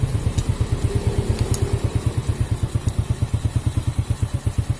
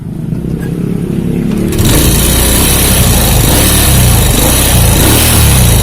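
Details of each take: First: Honda Supra Fit motorcycle that ran harsh and stalled when hot, after cleaning oil pump and gear restored oil flow to valve cover: even, evenly spaced low exhaust pulses at steady idle, no harsh rattle; smooth now. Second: Honda Supra Fit motorcycle that overheats and stalls when hot, hard to kick, idling with valve cover off: dry rattly ticking from rockers with no oil reaching the top; worn oil pump gear or clogged pump by the clutch suspected.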